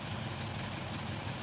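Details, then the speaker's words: Isuzu 4HK1 truck (Reward), formerly no-start with check engine light and flash code 56 (P0651), idling after ECM relay replacement, the relay powering the injectors: steady, even low diesel clatter, no misses or hunting, healthy. "Ayan paandarin natin Ayan so Ayos na po yung problema yung ecin relay lang yung problema"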